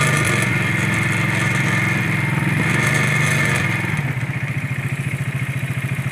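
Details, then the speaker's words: Ural motorcycle boxer twin at idle: a light, tinny rattle on every firing pulse that fades as revs drop. A heat shield was first suspected, but it was a loose fuel cap; tightening it fixed the rattle. "Somebody in the showroom must have went like this and looked in it and then not tightened it back up."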